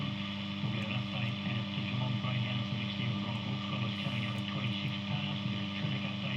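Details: Healing 400J clock radio after capacitor replacement and a resistor swap, probably still needing alignment: steady constant low drone under radio sound; heavy mains hum in output, cause not found, owner wonders if the clock is involved.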